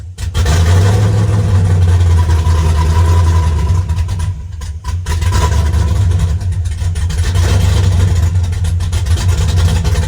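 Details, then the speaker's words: Chevy S10 with a 5.3 V8 and a choppy cam, misfiring since LS Fest despite new plug wires, idling after a fuse was cleaned and replaced: lumpy, uneven idle with an irregular low thump beyond the cam's lope, worse than before; a bad wire or connection is suspected. "that's what we got going on before it was uh it wasn't that bad so we've definitely got an issue somewhere"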